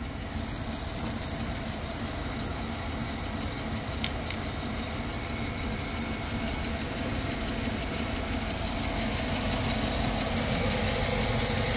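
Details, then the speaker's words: Light, even lifter tick about three times a second over a steady idle on a GM AFM engine, just after adding Prolube additive. It persists cold to warm and after a couple of minutes; the owner says it usually clears after driving a while. "when you get that lifter tick here on these AFM engines it'll do that that real like tap tap tap tap tap tap tap tap tap eventually after driving it a while it goes away on its own"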